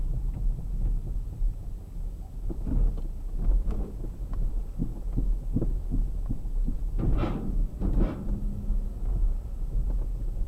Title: стук рулевой рейки перед ремонтом киа спортейдж 3